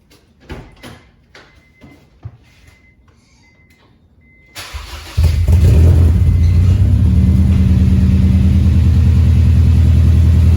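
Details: 2001 Honda CR-V RD1 after welding the exhaust: starter cranks briefly, engine catches and settles into a steady, fairly loud idle with even exhaust pulse; normal exhaust note after repair.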